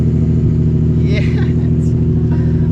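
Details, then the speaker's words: Nissan 350Z, about 87k original miles, first cold start after sitting two weeks following a crash, recorded at the exhaust. Starts right up with a deep, steady V6 exhaust rumble, even beat, no misfire or rattle; normal cold start. "Started right up, you guys. Wait. I gotta get the sound, you know, the exhaust over here. Cold start."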